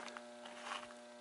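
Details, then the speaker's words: Mercury vapor yard light starting up with a new capacitor, drawing 2.14 A and 67 W: loud steady mains hum with a strong buzzing overtone. The ballast transformer vibrates so much the bulb jingles. "our light still vibrates a lot so much it even makes the bulb kind of jingle that's not very satisfactory"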